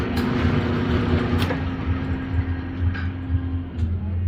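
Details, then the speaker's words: Brunswick A2 pinsetter single-phase motor restarted after service to check for starting issues; comes up to speed at once and settles into a steady hum with even mechanical thump about twice a second, healthy start and run. "so start looks good run looks [Music] good"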